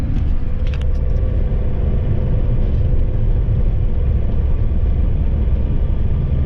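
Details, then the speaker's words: Ford Transit Mk7 front-wheel-drive van driving with a worn driver's-side front wheel bearing, rumbling for a couple of weeks: deep, constant rumbling drone under road noise with no ticks or knocks; bearing and hub then replaced. "So let's see if we can replicate the noise on the wheel bearing and see where we go from there."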